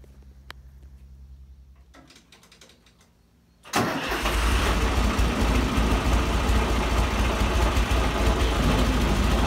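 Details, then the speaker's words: John Deere 2040 tractor diesel with a bad water pump bearing that wiggles: fires after a few seconds and settles to a rough idle with a fast steady rattle from the water pump; worn water pump bearing rattle. "that's that water pump yeah that's the water-pump rattling"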